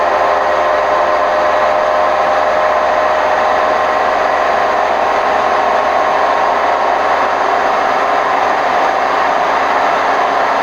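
Loud continuous rumbling roar through the whole spin, no letting up, the sound of drum bearings that are worn out.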